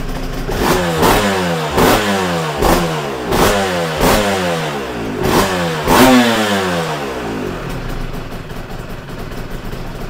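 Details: Yamaha TZR 250 3XV two-stroke twin, carburettors balanced by setting idle and air screws per cylinder; throttle blipped cleanly about every second, crisp rise and fall, then steady idle; healthy.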